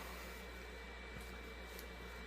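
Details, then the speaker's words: Red Bull VC206565008 LED Eco mini fridge with a replacement for its original 12 V Jamicon sleeve-bearing exhaust fan, cover off: soft, steady whir with a faint constant hum, no rattle or ticking; runs smoothly and quietly. "there's that. That's solved. That is very quiet."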